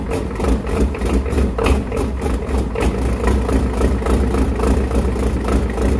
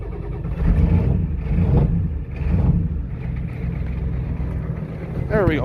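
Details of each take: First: 1993 Ford 7.3 IDI turbo diesel, test-run before a swap, low on oil: steady diesel clatter at idle, a fairly even knock about three to four per second with no misses; engine sounds sound. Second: Ford 7.3 IDI turbo diesel on a test run, ether-started after an hour outside at about 10 below but partly warm from driving, not revved: lumpy, uneven diesel clatter with surges a couple of seconds apart; rough idle blamed on a faulty injection pump.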